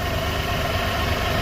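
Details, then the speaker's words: Car that came in for an oil change, idling with a consistent cylinder 2 misfire: a recurring low thump and stumble; there is no injector control, so either an open wire or a dead PCM driver. "and we definitely do we're misfiring on cylinder 2 pretty consistently"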